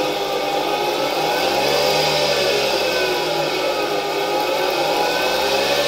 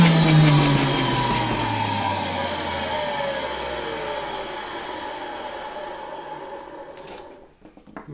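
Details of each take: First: 1960 Alfa II vacuum cleaner with SK-5 motor from the Wrocław water-meter factory, old motor on test: steady high whir with rough grainy edge, bearings slightly audible, turbine a bit noisy, but motor works; brushes to be replaced later. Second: 1960 Alfa II vacuum cleaner, reassembled and run briefly straight from the mains: steady high motor whine winding down smoothly after switch-off, strong suction; runs well despite very worn motor brushes that still need replacing.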